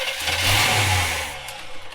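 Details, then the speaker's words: 1970s Coachman Leprechaun motorhome engine, given fuel directly into intake and cranked: short burst of firing that fades and dies; owner suspects tank nearly empty and pump not delivering fuel, plans to add 5 gallons then check spark. "and just dies immediately. I can't run it off the sauce, which is a little bit weird, but I think it's probably just real empty, not bringing out fuel from the fuel pump."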